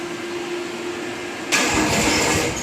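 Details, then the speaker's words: Old Jacobsen Turfcat diesel, stored about 2 years, on glow plugs with a weak battery and half-dead jump pack: quiet hum, then a sudden loud rush as it cranks and catches roughly with some smoke and a weird noise; hard starting. "Oh, made some weird noise. Oh, she a little smoky. We'll try some more glow plugs."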